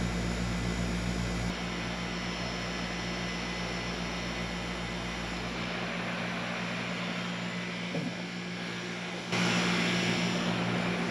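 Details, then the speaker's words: Heat pump outdoor unit after maintenance (coils cleaned of dirt and cobwebs, capacitor checked, work verified with a meter): a steady fan whoosh over an even compressor hum with no rattles. It runs normally and much quieter than before. "It actually sounds like the unit is running a whole lot quieter than it was before."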